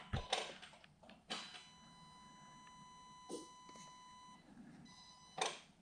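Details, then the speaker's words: 2013 Audi A6: wiggling the main gearbox connector gives clicks and a warning chime that drops out and returns, an intermittent contact; the connector was found corroded after disconnecting the battery, and the gearbox was not communicating. "But the worst part of it all is that when you move it, there's like a connection making and then connection losing."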